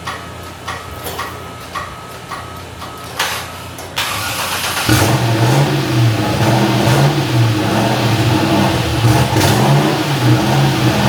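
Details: Freshly built cammed LS V8 with new stainless insulated exhaust, first startup: starts instantly, settles into a choppy even cam lope with no knocks, oil pumping; healthy fresh engine.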